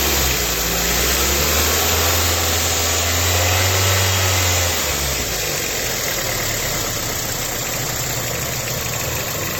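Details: 2007 Toyota Corolla LE at steady idle, light even tick about three times a second over hiss; owner suspects a belt, cause unconfirmed.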